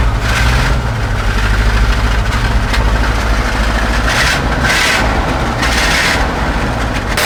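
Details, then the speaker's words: 1970 Chevy C-40 mechanics truck that sat 15+ years, first start after hooking up the ignition wires: deep, steady V8 idle with an even low rumble and some hiss and clatter; runs and sounds good. "Oh, okay. That thing sounds good."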